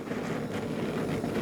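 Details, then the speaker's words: Blackstone griddle, 60,000 BTU burners with large flames: even, steady gas roar with no popping or flutter, burner running clean, unlike the popping burners elsewhere. "so this one's a little louder it's got you can tell tell by the flames on it are a lot lot bigger uh than the other one but it's 60,000 BTU"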